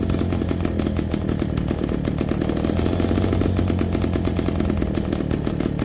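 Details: MZ BK 350 two-stroke motorcycle on its first start after restoration: a crisp, even beat at a fast idle, steady with no stumbles or knocks. The engine runs smoothly and healthy.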